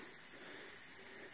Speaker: there's a big leak you can actually hear this one it's in this particular lateral right here